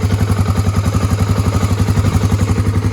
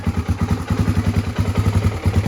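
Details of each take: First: 1986 Honda ATC350X single-cylinder three-wheeler after idle raised: even thump about four pulses a second, steady, no stumbles or misses; sounds better and more even, idle left there. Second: 1986 Honda ATC350X single-cylinder three-wheeler just after kick start, before raising idle: slow, lumpy thump at about eight to nine beats a second, lazy and near stalling; idle too low, to be turned up.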